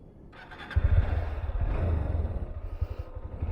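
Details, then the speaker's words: Honda CB200X at about 20,000 km, owner complains of CKP sensor, gear shift and silencer problems: the single gives low, uneven thumping, firing ragged and never settling to a clean idle. Hard starting, cause not confirmed. "ഓരോ എൻ്റെ പൊന്നു വെച്ച് വണ്ടി സ്റ്റാർട്ടാകാനില്ല."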